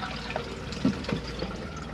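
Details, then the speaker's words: 2005 Autocruise Starspirit motorhome cassette toilet, pump on, blue flush button pressed: short rush of water with faint pump hum and splashes; normal flush, done before use to lubricate blade seal. "and it will flush the toilet so always flush before use it lubricate the seal between the blade and the cassette"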